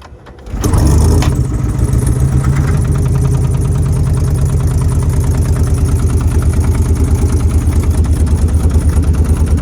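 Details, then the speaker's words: Car with a questionably rebuilt engine, oil slightly overfilled, started on camera. Engine fires and settles into a loud, lumpy, uneven low thumping about three times a second: something internally wrong, cause unknown. "again. Something ain't [Music] right. It's not. Oh, hell no."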